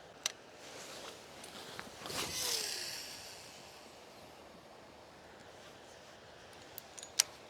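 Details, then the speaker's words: Daiwa 25 Spider 100 baitcasting reel after fix: test cast with a smooth whoosh as line pays off the spool, no clicking or rasp. The noise, blamed on the pinion gear vibrating loosely on the spool shaft with no bearing support, was cured by greasing the spool shaft. "声音没了，不放心，我们再来一杆啊。没了。"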